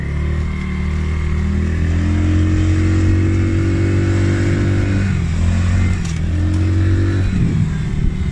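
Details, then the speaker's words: Polaris Outlaw 50cc quad after carb clean and blocked pilot jet cleared (previously overflow leak, no start), choke on lifting revs. Idles steadily, revs up and down cleanly with even exhaust note: normal running and revving. "I didn't have the choke on. I've just put the choke on there, that's why the revs have lifted."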